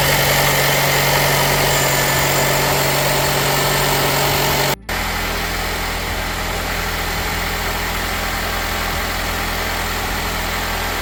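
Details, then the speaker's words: Nissan Qashqai after an engine change (the original ran out of oil and rattled and knocked). First start and test drive give a steady, even engine drone with no knocking or rattle. "That's what we like to hear when we finish an engine change."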